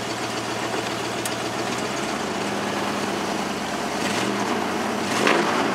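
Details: Ford F-150 idling evenly with a constant low drone, no hiss, hunting or stumble, after the leaking brake booster check valve was replaced, fixing the vacuum leak.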